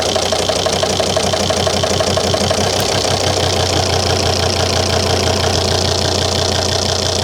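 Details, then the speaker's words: 2003 Volvo XC90 D5 diesel at idle, running on four cylinders: uneven lumpy idle with regular stumble about twice a second; disconnecting injector 4 changes nothing while others do, so injector 4 delivers no fuel. "Yeah, disconnecting injector 4 makes no difference at all to that idle problem. Whereas if I disconnect any of the others, the idle changes."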